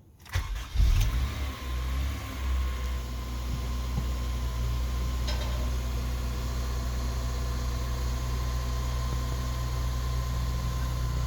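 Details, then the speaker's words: 2004 Honda Accord Euro R, K20A 4-cylinder, manual; its starter used to bind and grind on cold mornings. After the starter repair, it cranks briefly and releases cleanly. Engine catches and settles to a steady idle with no grinding or binding. "now you have the starter motor work perfectly there was no binding issues or anything started up finding it released perfectly fine"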